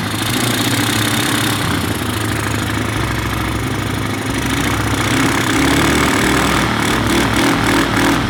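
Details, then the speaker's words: Neglected single-cylinder ATV, first start on choke with the air box off: uneven, sputtering idle with dropouts, running lean from pulling in too much unfiltered air. "So yeah, it ran, it was sputtering a bit. Like I said though, we got to get that air box on there because it's pulling in too much air right now."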